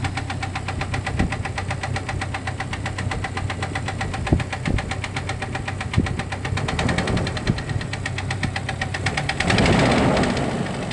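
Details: Jeep Cherokee XJ facelift, 2.5 L four-cylinder petrol engine, skirt broken off the piston in cylinder two: sharp, steady knock about four times a second over a rough idle; heavy piston slap from broken piston skirt.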